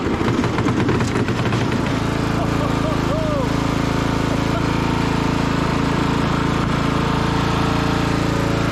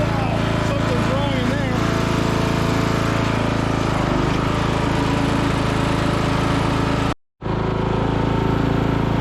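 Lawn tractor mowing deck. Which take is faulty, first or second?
second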